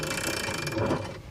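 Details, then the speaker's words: ETM RTR Lite electric pit bike pushed by hand, out of the box: dry creaking and ratchety, uneven clicking from the drivetrain plus echo; noisy even before switching on, cause not pinned down, lubrication suspected. "That don't sound great. It's almost creaky. You'd think that electric means silent. And yeah, technically this is silent compared to a gas pit bike for sure. But there's still a lot of drivetrain noise and what sounds like just echo."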